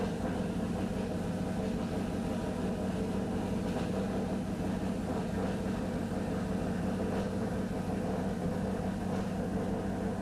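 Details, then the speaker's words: 2002 Pontiac Trans Am WS6 LS-style V8 with FAST intake, first start after full build, tuned very rich for startup: steady even idle, smooth low rumble, no knocks, ticks or misses; normal idle, vacuum leak smoke test still planned. "otherwise it runs fine I mean it's set up to run like really fat in the beginning just to make sure that it runs and everything"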